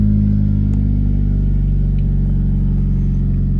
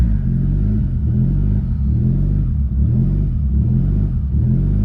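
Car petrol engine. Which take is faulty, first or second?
second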